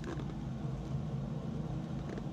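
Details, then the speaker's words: Toyota Agya, left rear wheel spun by hand: low, steady drone, felt as vibration at the shock absorber; the car hums above 40 km/h. Worn rear wheel bearing, replaced. "Ini ciri-ciri kerusakan pada lahar roda biasanya terjadi degungan ketika melaju di atas kecepatan 40 km/jam. Dan ini setelah diselidiki sumbernya dari roda sebelah belakang kiri, kiri belakang ya."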